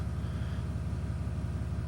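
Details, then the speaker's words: 3500 diesel just started after fuel filter replacement, warming up: low steady rumble with even beat, nothing rattling; idling smoothly and healthy. "so now we'll let it run for a little bit and uh make sure everything's good let it heat up a little bit and uh check and make sure we don't have any leaks and we should be good"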